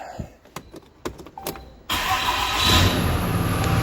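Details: Hotshot truck with 320,000 miles, first start after transmission repair with the torque converter not replaced: a few clicks, then it cranks, catches right away and settles into a steady, even idle, a normal start and idle.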